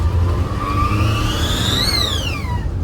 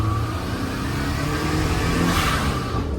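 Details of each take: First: Turbo Daihatsu Mira, first pull with a newly fitted BLITZ blow-off valve replacing an HKS one: thin whistle climbs with boost and drops on release over the engine rumble, toy-like, almost electronic-sounding; blow-off valve whistle. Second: Turbo Daihatsu Mira, original blow-off valve that came with the car (Blitz valve thought leaking/dud): engine revs and drops with a short airy whoosh on throttle close; blow-off valve venting properly.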